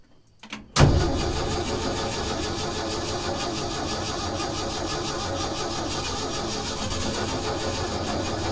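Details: 1966 Ford F500, barn-stored 20 years: quiet, then engine catches with a sharp burst and settles straight into a steady, even idle; starts and runs fine.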